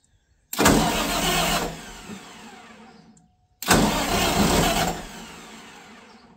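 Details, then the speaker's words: Katolight 110kVA generator that wouldn't start, after a jumper lead bypass: two bursts, each catching sharply then fading and dying within seconds; owner thinks the fuel that was in it has run out. "I'm not going to run it too much longer. I think I just pulled all the fuel that was in it out of it."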